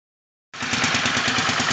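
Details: Suzuki VS800 V-twin at idle: uneven, loping idle with irregular pulses and a slight stumble between firings, not running smoothly.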